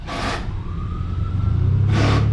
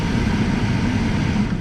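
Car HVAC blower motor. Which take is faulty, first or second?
first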